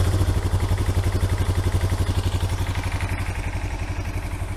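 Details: Kawasaki Bayou 220 ATV, bought non-running, on 92-octane 50:1 mix poured into the carburetor; owner suspects the needle and seat or drain leaks slightly: steady even putter about four beats a second, no stumble; normal idle.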